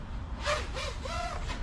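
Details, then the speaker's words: 5-inch 250 g FPV freestyle quad (2Fiddy) in flight with PID gains raised to about 1.3: motor whine wavers and flutters rapidly, audible even at zero throttle; over-tuned PIDs. "oh and it's definitely over tuned i'm gonna bring it back down this is over tuned you can hear that at zeroth so just from that noise alone i know that it's over two and we've definitely pushed it too far"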